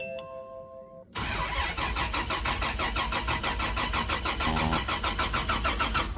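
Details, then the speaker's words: Turbo FZ-engined 80 after ECU rewiring, with jury-rigged coil pack wiring reconnected: steady cranking at about three compression beats a second, never catching. It cranks but won't start; owner suspects the white-black cam/crank signal wire was confused with the black-white ground. "as you can see that big fail just there I'm confident I might have the found the issue there was a white black cable and a black white cable black white is just your grounds but the white black was actually the signal for the cam or crank"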